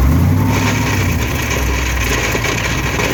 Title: Th400 grinding noise